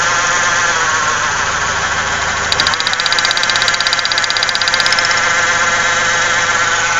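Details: 1995 Ford Ranger 3.0L V6 at idle: uneven lumpy idle with irregular pulses around four a second and shaking, heavy vibration and strong gas smell; misfire suspected, spark plug wires being checked, not confirmed.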